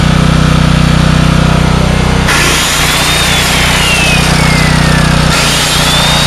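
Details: $100 4,000-watt generator restarted after a brief interruption, not fully cold: a loud, even drone at constant speed with no misses, surging or knocks. The generator engine is running healthy.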